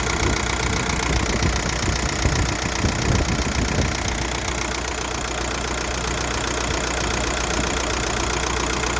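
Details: VW 1.9 TDI (ASZ) diesel idling: loose uneven knock about two beats per second, heard through driver's side wheel well, not with bonnet open; all pulleys but crank, timing kit and dual-mass flywheel already replaced. Cause unknown.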